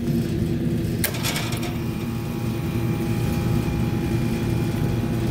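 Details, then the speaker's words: Walk-in cooler condensing unit after repairing an evaporator-section short that kept tripping the breaker and fitting a new compressor contactor: compressor running with a steady low hum and even rumble, no rattles; condenser fan off on fan cycle control; normal compressor running. "Okay, the compressor's running. Condenser fan motor's not, but the condenser fan motor's on a fan cycle control."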